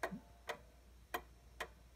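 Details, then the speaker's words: 1800s Seth Thomas OG clock leveled by shimming one side, before bending the verge: four sharp ticks with uneven spacing, one gap clearly longer (a pause), so it is still out of beat. "it level and you can hear it running better than it was you can still hear that pause so I'm going to bend this verge just a little bit"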